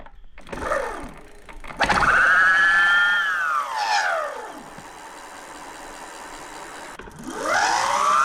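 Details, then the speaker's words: BBS02 mid-drive e-bike motor after running on 72V, set to 2000 W max: the whine rises on spin-up and falls on coast-down, louder and rougher than it should be; something internal seems off, with freewheel stall issues too. "oh it sounds like something's maybe a little bit off in there"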